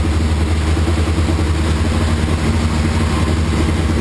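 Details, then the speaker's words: 1981 Laverda 1200 TS Mirage triple first run since 2003 after new cam chain, valves set, base timing, rebuilt carbs, new airbox and exhaust; deep even rumble, fast choke idle holding steady without misses; normal idle, slight carb fuel leak. "but anyway I'm thrilled started right up looks like I'm in the ballpark with my base timing settings and my base carburetor settings and it sure sounds healthy"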